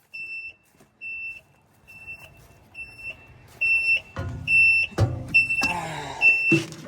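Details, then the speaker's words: Bomag Hypac sheepsfoot vibratory roller being diagnosed for a repeatedly blowing starter-relay-circuit fuse and throttle switch: shrill high beeps about once a second, then clunks and rattles; an unidentified warning alarm never heard before, and the machine won't start. "I've ran this thing for 8 years and it's never made that noise. It won't start. All right, got the alarm to go off."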